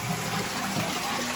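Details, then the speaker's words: Toilet cistern flushed after the fill level was adjusted. A strong, full rush of water drains steadily without sputtering. There is plenty of water, and the flush is normal. "sounds like we've got plenty of water in there. Nice big flush on that."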